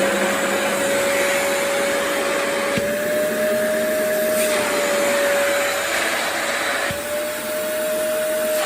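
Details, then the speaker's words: Tineco carpet shampooer suction test with paper over the intake: steady, even high motor whine holding pitch with slight shifts under load; suction judged good without a gauge. "so without a gauge I would say that's good okay without a gauge without some kind of uh fancy gauge which most people are probably not going to have a suction gauge in their house this is probably as good as you're gonna get with testing that suction"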